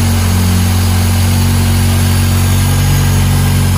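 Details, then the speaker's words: Honda Integra B20 VTEC (B20B4 high-compression bottom end, B16A head, fresh lost motion assemblies), first start after repair: a steady, even idle drone with a smooth beat and no knocking or ticking. Normal idle. "I don't hear any knocking anymore either. I don't. Sounds nice and healthy. Yeah, she sounds good."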